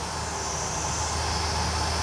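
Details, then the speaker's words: GatesAir ULXTE-40 UHF transmitter, GE power supply: new San Ace fans replacing bad-bearing units run with a smooth, constant airy rush and no grinding, bearing rattle or racket after reinstallation. "and so far no racket"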